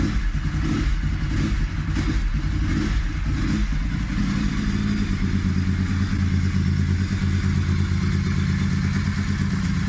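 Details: Ducati 996 first engine start after months-long rebuild; deep twin-cylinder thump catches and holds, a few throttle blips and steady return to idle; normal running.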